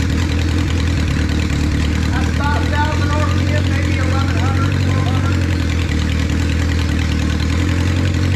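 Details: 1976 Honda CB550 Four, 10,409 miles, first start after 34 years, choke just taken off, still cold: even, steady low hum with all four cylinders firing smoothly, loud pipes, immediate throttle response; healthy idle.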